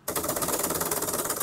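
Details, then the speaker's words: Honda Vario 160 floating brake disc, with a 4-piston caliper on the bracket, shaken on the bike: fast, loose, dense and even metallic clattering; this free play is normal for a floating rotor. "Dia oblak cuy. Tapi emang itu ya, itu namanya cakram floating gitu ya. Jadi emang dia oblak."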